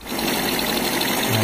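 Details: Kawasaki Blitz small single after repair, formerly rough-sounding and smoking white: brief steady idle with a light rattle on top, attributed to the air filter; engine now sounds healthy.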